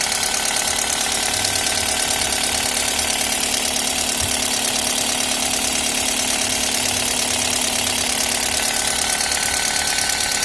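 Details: Toyota 1ZZ engine at idle: a light, fast metallic ticking of about three a second over a steady idle. Valve tapping is suspected, not confirmed.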